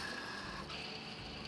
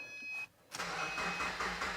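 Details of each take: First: 2009 Subaru Forester engine pulled for a reseal and timing belt kit: old timing-belt idler pulley spun by hand gives a dry, gritty, uneven rasp; worn, grinding idler pulley bearing, being replaced along with the other pulleys and the water pump. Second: 2009 Subaru Forester with oil leaks, jump-started with a portable jump pack: a brief crank, then the engine catches and settles into an even idle with a steady low throb; starts cleanly, normal start.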